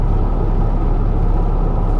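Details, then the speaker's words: 2012 Ford F-150 3.5L EcoBoost twin turbo FX4, about 160,000 miles, driving in four-wheel drive around 45 mph: heavy steady low rumble and vibration, owner first hoped tires; driveline vibration. "I'm not sure if that's the tires Nick I don't know what that is that sounds pretty horrible but it is in four-wheel drive"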